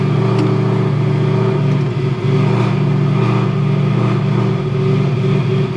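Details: Ford Crown Victoria ("VicZilla") with swapped 7.3L Godzilla V8, just started on booster at 68°F ambient: deep, strong, even rumble with steady beat, no knocks or ticks; alternator from a 6.7 charging 14.8–14.9V afterward; normal running.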